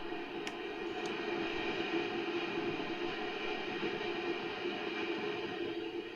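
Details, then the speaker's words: 1970s Kustom Sidewinder 24C guitar amp at full volume with no instrument plugged in: steady ocean-like static hiss with faint hum underneath, where it should be dead quiet; excessive preamp noise under diagnosis. "and now i'm definitely hearing a distinguishable like a tone or not really a tone but more static hiss it does does sound like you're at the ocean like the waves are crashing in on you so that's not normal"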